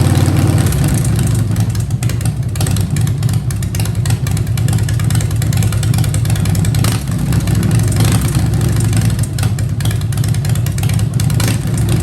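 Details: 2015 Harley-Davidson Breakout with Fuel Moto 110 kit (10.5:1, Level B heads, Woods 777 cams, 55mm throttle body): deep even idle lope, blips rise and settle cleanly; running smoothly.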